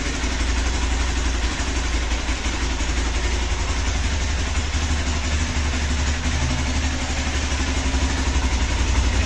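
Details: Hero XPulse 200 4V motorcycle, cold start after sitting about a month, exhaust silencer still cold: a steady low thrumming idle, slightly fast and even with no knocks or misses. This is normal cold high idle, which the owner waits to drop to about 1000 rpm.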